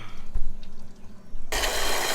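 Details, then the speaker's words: Boat outboard cooling line: faint drips, then a sudden steady rush of water after clearing a major blockage in a clogged fitting; idle water pressure now 2.8 psi, normal cooling water flow restored. "Now we got water. That's beautiful."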